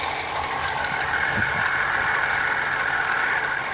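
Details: BMW 316i F30 on the first cold start of the day, idling: a light, uneven tick about three per second over the engine hum, traced to a bad radiator/AC fan belt tensioner.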